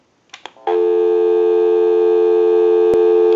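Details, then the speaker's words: Automatic Electric rotary dial desk telephone after repair, in final checkout, heard through an amplified pickup on the network at the back: a few handling clicks, then a clean, steady low tone held about three seconds. Normal dial tone. "we'll call my number and it'll be busy give you some dial tone"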